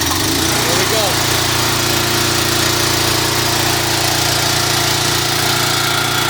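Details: Small engine with a HIPA dual-fuel propane carburetor, carb drained of gasoline and propane purged, starts on the first pull and settles into a steady even drone with no hunting or misfire; normal running on propane.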